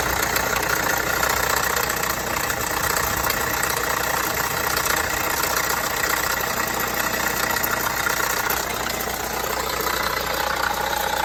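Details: Vauxhall Astra 1.6 at idle: light, uneven rattle ticking two to three times a second over engine hum, present for a few months; dealer found no problem, source not pinned down.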